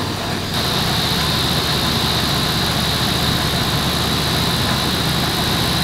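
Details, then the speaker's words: Chrysler Aspen at idle: loose, gravelly rattle like rocks in a plastic cup from the front accessories; owner suspects a worn fan clutch, with the water pump also due; both were replaced. "I guess it sounds like rocks like the description of it is rocks and a plastic cup I guess that's like the only description I can give for that"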